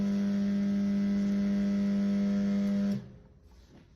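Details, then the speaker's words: Microwave oven making a harsh, steady electrical buzz with low hum and raspy overtones that cuts off abruptly; not a normal sound, attributed to the magnetron (loud magnetron buzz). "So that's not a good sound. It's made by the magnet."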